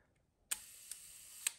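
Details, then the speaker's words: Konica IIIA 35mm rangefinder leaf shutter on a one-second exposure: a soft crisp click, about a second of faint hiss, then a second gentle click; a quiet, healthy leaf shutter. "and again because leaf shutter usually they are the quietest type of shutter available"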